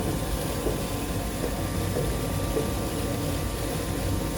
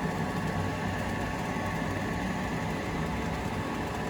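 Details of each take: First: Heil ICP gas furnace, no-heat call, badly installed: draft inducer blower hums steadily with soft wet churning underneath; inducer housing full of water with no drain. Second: Heil ICP gas furnace, after water had filled the undrained draft inducer housing: smooth, even low hum and whir with no gurgle or rattle; inducer now quiet, normal.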